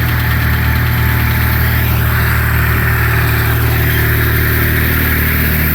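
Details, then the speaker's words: 2008 Renault Logan 1 at cold idle: dry rustling chatter, unclear whether knock or rustle, over low engine hum, absent at start, appearing about 1:25 after starting and audible in the cabin; source undetermined, owner unsure if normal. "Сейчас посмотрим, на какой секунде прекратится это шелестение. Его даже в салоне слышат. То ли стук, то ли шелест, не поймёшь."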